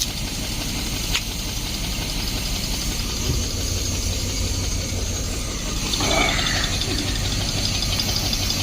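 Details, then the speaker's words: 1972 Barth motorhome, unstarted for 15 years, after a new fuel filter and clamps: the engine holds a steady idle on its own with a rough but even beat and no misses; normal idle. "There we go, idling on her own. There it is right there, boys."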